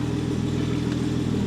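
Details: BMW 535xi E60 (N54) idling after misfire fix, cooling fan on, waiting for a misfire that does not come: steady even idle with smooth low hum, no stumbles or dropouts; normal idle.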